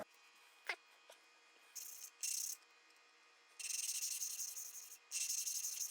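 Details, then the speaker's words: 1974 Honda CB350F engine valve lapping by hand: short bursts of fine hissing scrape, each back-and-forth pass even and gritless; sound getting smoother each time, so the seat is about done on this compound. "So you hear that sound getting kind of smoother sounding each time, so that's probably about good right there on this compound."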